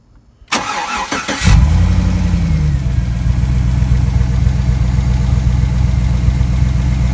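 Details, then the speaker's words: Freshly rebuilt GM 5.3L V8 (bad lifter replaced) cranks, catches and settles to idle with a soft tapping under the exhaust rumble; ticking at idle, possible cam problem suspected, unconfirmed. "there is a little bit of there may be a problem on the cam but yeah"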